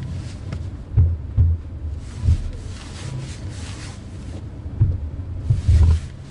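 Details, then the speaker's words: Alfa Romeo Giulia Quadrifoglio crawling at low speed at minus 2.5°C: irregular deep thuds and judders in bursts as the front tyres skip and scrub over the tarmac; worse in very cold conditions, eases once tyres warm up. "it's almost like the front wheels kind of skip over the tarmac and it's worse in very cold conditions once the tires are heated up a little bit it kind of doesn't do it so badly"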